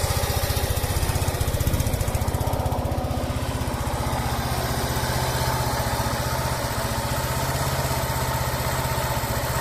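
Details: Yamaha SR125 replacement engine, a 1999 unit (10F code) with 10,800 km, fitted to a 1996 bike with the old harness, flywheel and stator. It idles with an even, steady single-cylinder thump and no knocking, unlike the old knocking engine.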